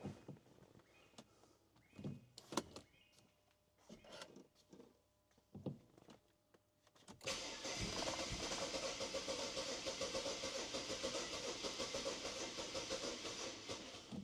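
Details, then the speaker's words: BMW E92 335i N54, first crank in over a year on a partly charged battery, fuel pump heard priming: scattered clicks, then sluggish laboring crank that almost starts but never catches; battery too weak. "All right, that first go, the battery is struggling a little bit. It almost sounded like you wanted to start."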